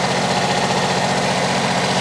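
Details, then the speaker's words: Generac diesel light plant generator set, just started with starting fluid, charging at 14.3 V, no blow-by: even, steady diesel clatter at constant idle with no knocks or belt squeal; running smoothly. "Running like a sewing machine. Oh, and it does sound better. It cranks better. It sounds better running. There's no belt squeal."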